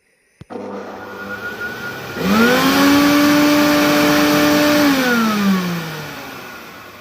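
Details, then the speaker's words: Carpet-washing wet vacuum before maintenance: the motor spins up to a loud, strained whine and airy roar, as if choking. Clogged filters and dirt are blocking its airflow, so the machine "shouts" at high revs. "makinemiz boğuluyormuş gibi çalışıyor Bir zorlanma var"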